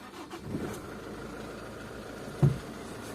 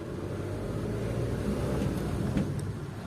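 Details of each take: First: 2001 Nissan AD, YD22D 2.2 diesel, manual, 260,000 km: sharp regular metallic tapping about four per second after a summer start, fading after 5–10 minutes' running but returning under load; suspected injectors, not confirmed. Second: 2001 Nissan AD, 2.2 YD22D diesel, 260,000 km, manual: metallic knock after start in summer fades after 5–10 minutes and reappears under throttle load; injectors suspected. Here, driving gently in first gear, a steady drone with no knock. Runs evenly.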